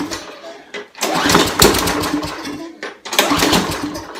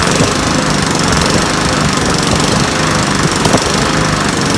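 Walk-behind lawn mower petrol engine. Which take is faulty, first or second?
first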